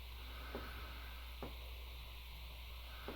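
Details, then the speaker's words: ResMed AirSense CPAP: quiet, steady machine hum with three light taps, one each time the user breathes in, from a loose rattling humidifier water tank lid; a quick fix is taping the tank down. "a clicking or tapping sound you can hear in the middle of the night it's coming from this lid it's rattling around so I'm going to show you how to fix it"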